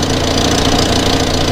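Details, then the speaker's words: Volvo 480 project car at idle after CEM replacement: breathy puffing hiss over engine note, exhaust leak from a repaired joint that hasn't held. "can't still hear a slight exhaust leak oh yeah actually there's quite an exhaust leak coming from up"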